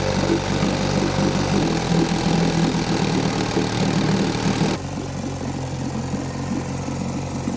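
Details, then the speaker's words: 1952 Johnson Seahorse 5 hp two-stroke outboard, not run ~40 years, after an hour of idling: steady fast buzz that won't settle to a low idle; later traced to carburetor gasket air leak and weak spark. "it'll idle a little lower it's not going real low"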